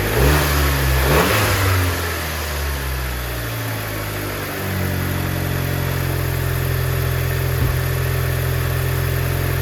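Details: Car just after intake valve and mass airflow sensor cleaning with CRC cleaners: after a couple of quick blips the engine drops to a smooth, even idle with a steady low hum, no misses or knocks; pretty good running.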